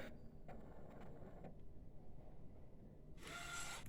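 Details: Epson A3+ based UV printer lifting mechanism after re-tensioning the gears with a spring; quiet low hum then a short smooth motor whir with no grinding or clicking; normal lift mechanism operation.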